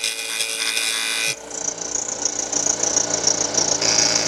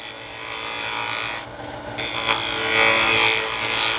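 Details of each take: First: Wood lathe, inside-out turning with the tool riding the bevel: even, steady hiss of shaving wood with no catches, chatter or tear-out; a normal smooth cut. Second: Wood lathe, inside-out turning, a deliberately bad cut shown for comparison with a good one: a harsh, uneven scraping rasp with a stumble mid-cut instead of a smooth hiss. The tool is cutting rough and tearing the wood.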